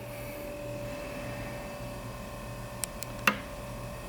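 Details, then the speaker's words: Dometic CFX 40W 12V fridge in a Toyota 4Runner, powered by a new 10AWG circuit to a marine outlet, temperature set lower to kick it on: low steady hum, faint even whine, light clicks. Normal compressor running. "Alright, here we go. Looks like it's running. And it's not catching on fire."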